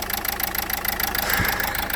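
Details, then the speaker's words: Renault Scenic III 1.5 dCi with injector 1 (gearbox side) faulty, now with a second injector unplugged. The idle becomes a heavier, rougher pulsing shake, confirming injector 1 doesn't work: a misfire from dead injectors. "When we unplug another one, the engine start working worse. It means that injector 1 doesn’t work."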